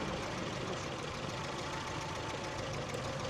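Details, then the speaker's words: 1979 distributor-and-coil car after soldering and insulating ignition coil wires with new connectors: steady, even low-rumble idle with no misses even in first four to five minutes, previously needed 10 minutes warm-up to avoid stalling; normal idle. "but now with this uh project and this Improvement we have a better running in in idle we have a better idle uh even in the first uh few minutes in the first four or five minutes of"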